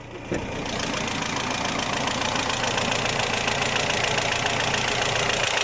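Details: BMW E36 318is M42, after a recent oil pan gasket and welded pan crack, began ticking suddenly the morning after a highway drive: quick, even metallic ticking three or four a second at idle; cause unknown.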